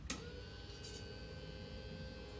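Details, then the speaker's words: Race car cool-shirt pump running a continuous loop (pump, hose, shirt, back to cooler), switch in the on/full-power position: after a click, a faint steady electric whir with a thin high whine. The pump works normally. "It works. I don't know if you can hear the pump running here or not, but that's on full power."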